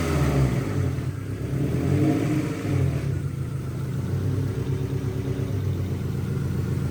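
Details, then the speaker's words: Integra warm during a vacuum leak check: a low, even rumble at about 800 rpm with no misses, knocks or ticks. This is a healthy warm idle. "what are we idling at sounds like pump 800 okay so that's a healthy Idol"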